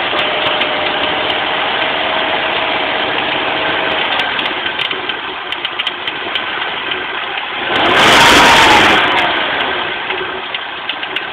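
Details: Volvo 850 petrol engine idling with an uneven ticking rasp and a steady humming whine from a bad belt idler pulley.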